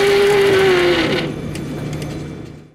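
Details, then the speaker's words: TFE731 right engine on a corporate jet, which won't start because the starter sequence cuts off after 4–5 seconds while drawing high amperage: a falling whine with an odd rumble underneath as the engine winds down after the aborted start; abnormal noise. "after the starter sequence shut down there was a very weird noise made at the engine itself which is"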